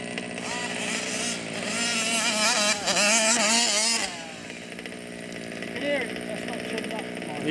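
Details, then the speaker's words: Dave's 1/5-scale RC two-stroke (Losi 5T with Taylor RC 71cc Supreme, or Outlaw Twin 70cc): high revs surge and sag unevenly, choking and stumbling instead of pulling clean; running rough, low and high speed needles being adjusted, carburettor needs tuning. "something is choking. You can hear it, it's choking, it's not running healthy."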